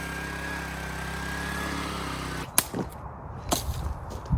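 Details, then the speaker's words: Sweeper small engine after replacing the carburetor, when cleaning it failed: smooth, even drone for a couple of seconds with no hunting or misses, then clatter takes over; running properly, dialed in. "The sweeper works. And that's the important part. Oh, it's working. Like you can hear here, it's completely dialed in."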